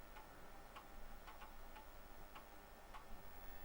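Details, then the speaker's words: Tandy 1000HX with a modified standard replacement floppy drive loading MS-DOS 2.11: light irregular ticks every half second or so over quiet hiss; normal seeking while reading. "Clicky, clicky, click. Yes, it's working."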